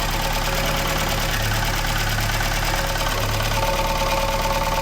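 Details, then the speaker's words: MK1 Ford Escort van petrol engine idling: uneven light rattle about three a second; owner suspects clutch, engine mount or steering column, noise varies and is currently bad; idle rattle, cause unconfirmed. "it's worse than others. It's quite bad at the moment."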